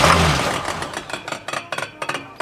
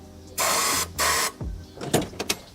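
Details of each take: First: 1977 Oldsmobile 442 barn find, sitting 30 years, first test fire on starting fluid with new spark plugs; a bent push rod is suspected. It catches briefly, then fires in uneven, stumbling bursts with gaps and lots of smoke; misfiring, not getting fuel. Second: 1977 Oldsmobile 442, sitting 30 years, after a new fuel pump was installed and a line run to a gas can. Repeated starter bursts, then it catches and runs roughly for a couple of seconds among clatter; first start in 30 years.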